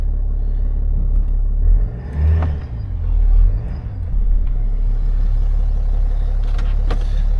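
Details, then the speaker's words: BMW X5 diesel, revisited after an earlier diagnosis and repair, with air finally bled from the system: steady low idle rumble in gear with no stumble or stall. Running properly now, confirming the diagnosis. "seems to be good now am I brave enough to go and drive this"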